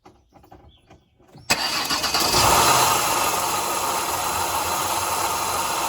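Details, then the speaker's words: Ford Escape started with AC on: loud harsh rushing drone over idle, yet AC blows ice cold; owner checking compressor isn't seized and whether the clutch coil is good. "Man, that thing sounds like hell. Oh yeah, it's got ice cold air."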